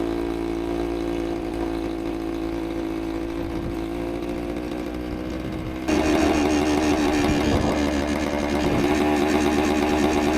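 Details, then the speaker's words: 1973 Suzuki TS250 two-stroke, revived after about 25 years in a barn, on its first ride; burbles unevenly around 200 beats a minute, blubbery and lazy on throttle; over-rich running, possibly with the choke left on. "throat] I think the choke is still on. Too rich. Think I just need to adjust this car real quick."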